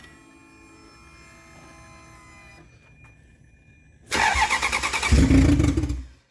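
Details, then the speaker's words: Salvage Ferrari 360 Spider test fire after the transmission was remounted, with the engine bay partly assembled: after a quiet stretch it catches promptly and settles into a steady, smooth idle with a brief blip. Normal start and idle. "this was really exciting everything worked like it should have been"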